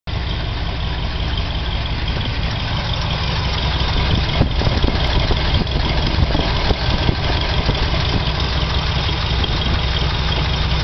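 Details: Chevy 396 V8 idling: deep steady rumble with light ticking from the head that just started; valves adjusted without curing it; cause undetermined.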